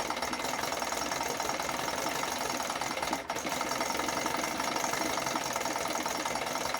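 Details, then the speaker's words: 1980 Chrysler Sea King 15 hp two-stroke outboard on engine stand, cold, after replacing ignition coil to cure quarter-to-three-quarter throttle misfire: steady, even buzz with a quick dip and recovery, no stumbling; runs clean and responsive. "I think I fixed it. It's really responsive. There's no hesitation. I think this is it."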